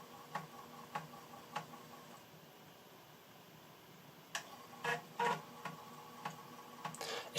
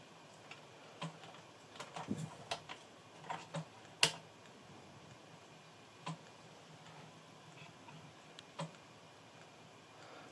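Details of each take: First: Amiga 600 reading a copied floppy disk: light regular ticks roughly every half second, then short buzzy seeks in a quiet room; normal floppy drive reading. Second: Amiga floppy drive: irregular sharp ticks, a few per second, over a quiet room as the drive seeks without settling; the disk isn't read.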